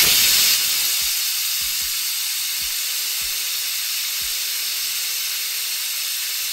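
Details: Autoclave after a tattoo-grip sterilization cycle, at about 26 minutes with power cut: the deflate valve is pulled by hand. A very loud, continuous steam hiss fades slightly as pressure falls, which is a normal depressurization.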